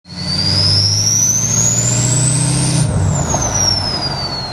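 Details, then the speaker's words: 2003 Ford 6.0 Powerstroke diesel: a high turbo whistle climbs steadily with revs, then slides down as the throttle closes, over the diesel rumble. Normal turbo whistle. "guys hear that sound sound of a 2003 power stroke everybody knows what that sound is but where does it come from"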